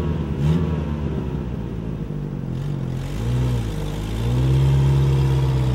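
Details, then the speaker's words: Toyota pickup truck that had sat for almost two years (last tagged 2004), started after some tinkering: engine idles evenly, then picks up smoothly with a couple of light revs, no knocks or misses; sounds good, normal running. "Sounds good, considering how long it's been sitting there."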